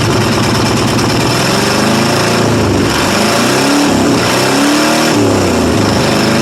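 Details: 1995 Ford F-150 5.8 liter 351 V8, cold start, blows steam, head gasket or cracked head suspected: loud uneven lumpy chuffing through open exhaust, stumbling and surging, loading up on fuel; several cylinders not firing.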